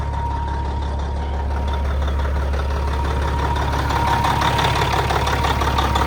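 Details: 1994 Peterbilt with old Caterpillar diesel (electronic E version, not B) at an auction yard, decent oil pressure: deep, steady rumble about three firing beats a second, even with no knock; healthy idle.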